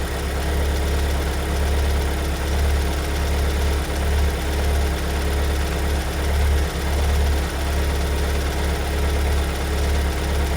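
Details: 2022 Kia Sorento MQ4 2.2 diesel at cold idle, two days after two weeks in Kia service that called it fine: heavy low rumble with irregular deep knock roughly eighty-odd per minute; owner says car never behaved like this, cause unclear.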